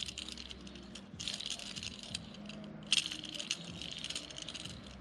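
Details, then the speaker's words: Polaris General XP 1000 front differential, pinion removed and bearing spun by hand: loose, gritty rattling clatter from a worn, noisy pinion bearing; repaired with a rebuild kit. "That bearing has definitely got some issues. Noisy, noisy, noisy."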